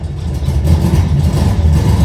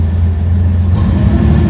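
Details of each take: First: 1970 Porsche 911T flat-six starting up after engine reinstall: lumpy, uneven beat that never smooths out, doesn't sound like all cylinders firing; misfire. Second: 1970 Porsche 911T driven for first time in over a decade after CV axles, shifter linkage, clutch adjustment, wiring and brake bleeding, refuelled after running out of gas: deep steady engine note pulling away in first gear, no misses or knocks; normal running.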